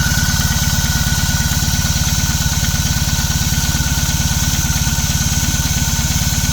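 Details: BMW R18 Classic motorcycle, cold start: about 3.5 minutes after starting, a light, even clatter or knock rides on the steady idle; it is louder in person, and the source is unknown.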